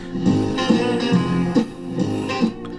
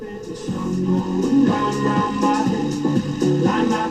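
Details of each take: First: 1956 Loewe Opta Meteor 1781W valve radio after the original EF85 IF amplifier valve was refitted, tuned to a local station on the shop speaker: guitar music plays clean and full with no crackle, hum or distortion. The restorer suspects the swapped valve was the cause. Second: 1956 Loewe Opta Meteor 1781W radio after alignment: music sounds distorted, rough and gargling, with distorted bass, while voices sound all right; no better than before the alignment, cause not yet found.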